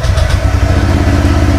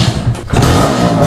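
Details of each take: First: Honda Click 125i scooter with a replica Pro exhaust, cold start after over a week unused: a quiet, steady, even putter at low idle with no misses or rattles, some outdoor noise, healthy warm-up idle. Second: Suzuki X4 unused for over a week: rough, uneven low chugging as it struggles to start; choke cable broken so choke can't be used; hard starting.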